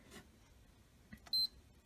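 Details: PS4 after fixing random beeping and disc ejection by turning the black screw near the disc drive 3–6 turns clockwise: one short, high beep at power-up and no repeated beeping; normal power-on beep.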